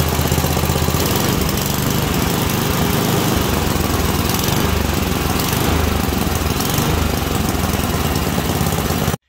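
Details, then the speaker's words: Small single-cylinder engine with adjustable carburettor set correctly: steady, even running, no pops, snaps or bogging, responds properly when revved up and dropped; mixture set right. "so there you have it that's uh engine that's adjusted properly um yeah you can just hear there's no snaps or pops no bogging you can rev it up drop it down it doesn't do anything weird it responds properly to the throttle"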